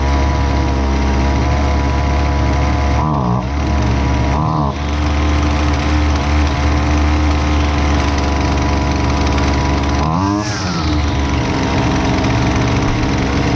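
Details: Husqvarna 128LDX two-stroke string trimmer, fixed after sitting unused, during high and low speed jet carb adjustment: steady buzz at fast idle, dipping briefly a couple of times as mixture is trimmed; running normally.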